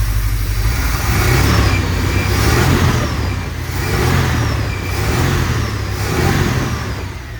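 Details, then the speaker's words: Engine after new plugs and wires, carb cleaner sprayed, following varnished-fuel misfire: even, steady idle rising into smooth repeated revs with no stumble or popping; normal running, misfire gone, owner credits the carb cleaner more than the plugs. "misfire is gone, thank God. And I think it wasn't even the fact that I did the plugs and the wires."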